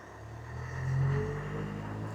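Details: Range Rover Evoque 2.2 SD4 diesel with P0046 restricted performance, after replacing turbo actuator: quiet diesel rumble swells smoothly on a rev and drops back without hesitation; live data actuator traces now match.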